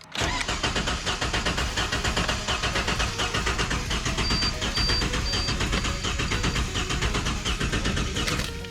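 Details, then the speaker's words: Barn-find Ford EF XR6 first start attempt, low battery voltage, number one spark plug out for timing check: starter churns at a steady pace but the engine never catches despite fuel; crank-no-start from a faulty aftermarket piggyback chip. "because when I crank it it doesn't actually sputter or anything it it literally just cranks and cranks and cranks but it has fuel so it doesn't really make sense"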